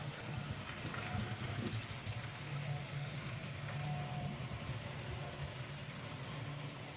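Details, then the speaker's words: GEM kit NER R1 class (LNER D21) 4-4-0 OO gauge model locomotive running around the track: continuous buzzing whir with a rough hum underneath at steady speed. A noisy open-frame motor. "I think we'll get it running. Give you a little view of it running around the track. Okay. As you can hear, it's quite noisy."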